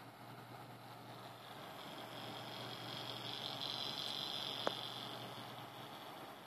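A steady whirring hiss swells in a high band mid-clip with one sharp tick; the cooler fan sounds rough, cause unclear.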